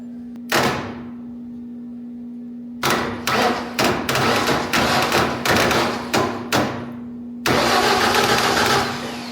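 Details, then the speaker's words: Large wood chipper engine, starter solenoid fed power directly: short bursts of sluggish, uneven cranking around two or three turns a second that never catch; owner suspects not enough battery voltage and moves to a starting charger. "So there it goes. So it may be that there wasn't enough voltage in the battery."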